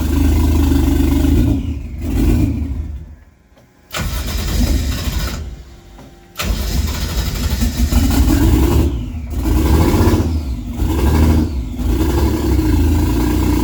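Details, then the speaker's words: Toyota 1JZ engine swapped into a Nova, first real start after a brief hiccup: catches after cranking, stumbles and dips unevenly, then a lumpy idle that slowly smooths; owner suspects spark plugs fouled from earlier starting-fluid test firing, clearing up somewhat. "all right we got something funky going on it sounds like the plugs could be fouled from when I test fired it with the starting fluid so it seems to be clearing up a little bit though"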